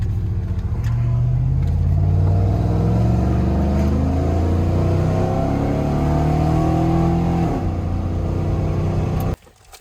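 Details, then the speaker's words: Chevrolet Silverado after passenger-side exhaust manifold gasket replacement: deep, smooth revving with only intake and exhaust rumble, no ticking or hiss; manifold no longer screaming, running quiet and good. "Sounds so damn good now. Just nice and quiet. All you hear is motor noise or the exhaust from the back. Now you can hear like actual intake noise instead of the manifold screaming."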